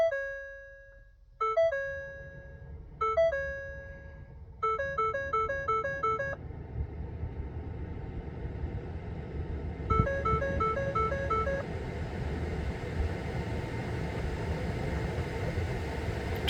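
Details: 2021 Ford F-150 3.5L V6 PowerBoost Lariat with Stop Safely Now and no-start fault, after disconnecting both 12 V batteries: repeating two-note and quicker instrument cluster warning chimes over low hum; cause not yet found.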